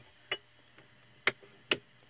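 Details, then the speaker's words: Antique GE fan motor stator tested out of its motor on a variac at about 38–40 V, 350 mA through a 100 W current-limiting bulb: faint mains hum with irregular ticks as a screwdriver chatters on the coil from the alternating field; good coil. "as the magnetic field switches back and forth the screwdriver just bounces around on the coil it tells you that you've got a good coil"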